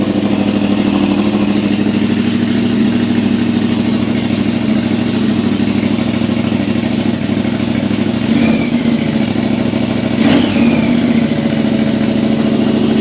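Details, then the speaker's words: Yamaha XV1000 Virago V-twin, high-compression build with 750cc heads on the 1000cc engine, about 180 psi, first start on a jump battery on a cold early morning: even, loping idle with two clean throttle blips, no knocks or rattles. One big backfire from excess fuel afterward. "That sounds sick. Sounds really good. I'm happy with that."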